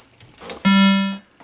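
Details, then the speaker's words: 25-inch U2000 arcade monitor chassis after repairing cracked PCB joints and replacing caps, powered on: single clean half-second beep then silence; board still needs flexing to boot, which may give three tones; not booting. "You heard one test tone, you think the board's good. One test tone, boom, good. No, it's still, you have to flex it to get it to work."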